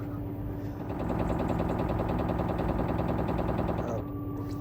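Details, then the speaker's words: LG 10.5 kg washing machine that had knocked at full spin for about two years, tested after a super-glue repair: the drum spins up with a steady, even whir and a soft swish, with no knocking; a normal spin. "And just like that, it's silent again. It worked."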